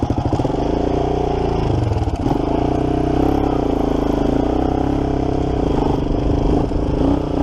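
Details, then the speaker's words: 1987 Kawasaki Mojave 250 single, just started after a carb job, throttle sticking slightly: loose metallic clatter following the revs as it's blipped; timing chain slap suspected, tensioner thought completely loose, not confirmed. "little yeah throttle sticks the timing chain sounds like the tensioner is completely loose"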